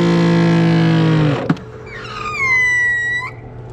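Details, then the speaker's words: Grandfalls PRO wall-mounted pressure washer (Giraffe Tools) at startup after the hose was filled with water: motor hums, cuts off with a thump, then a high whistling squeal holds about a second; odd startup noise, cause unclear, owner thinks maybe normal. "It has a weird noise, so let's see. I don't know why it makes that noise, but maybe that's normal."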